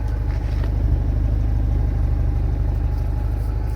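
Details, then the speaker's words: Mercedes SLK 230 idling after sealing the leaking exhaust/muffler: steady, even low exhaust pulse with no hiss or puffing; leak fixed, normal idle. "okay we have no leaking sound anymore I think this is good"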